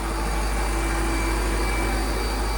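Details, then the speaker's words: Mercedes G-Wagon V8 idling after engine cleanup of stray oil and fresh coolant: deep smooth steady hum, no knocks or misses, running cleanly; normal idle. "she's running great oh man that had me worried guys"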